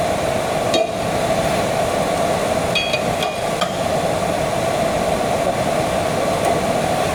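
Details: Miller-Matic 251 MIG welder at 21 volts, 366 wire speed, welding pipe fittings: even, unbroken frying-bacon sizzle with a few stray clicks; normal smooth arc.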